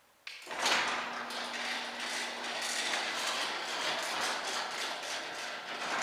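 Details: Newly installed garage door opener running: soft, even rolling hum with no grinding, squeal or knocking, much quieter than the old one that ground along the rails; healthy smooth operation.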